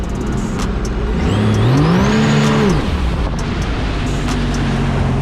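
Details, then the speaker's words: 2017 Sea-Doo RXT-X 300 jet ski on the river: engine revs shoot up freely and bounce off the rev limiter as the jet pump cavitates, usually a sign of worn wear ring or nicked impeller. "hear how it just revs up and bounces off the limiter normally that's a sign of the wearing being worn out or the prop having nicks in it"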